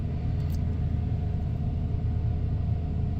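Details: 1994 Ford F-150 XLT, 302 V8 automatic, 81,000 miles, cold idle after start: deep, steady low rumble with even beat and no knocks, ticks or misses as it idles down; wonderful running truck.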